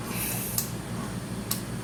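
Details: Philips patient monitor after an NIBP module repair: the pump hums steadily as the cuff inflates while blocked, with two sharp solenoid valve clicks about a second apart. The NIBP inflation and release are working normally.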